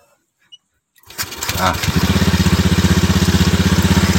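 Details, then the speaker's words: Honda Scoopy eSP 2018 electric starter, previously intermittent with only a clicking "jedit-jedit" sound, now after throttle-reset/mode 1 procedure: starter spins briefly, engine catches within a second and settles into an even, steady idle; normal electric start. "nah dia sudah mau dengan cepat ya karena tadi ketika di starter atau di Nyalakan ya starternya dianya terdengar bunyi jedit-jedit saja guys tidak bisa langsung merespon"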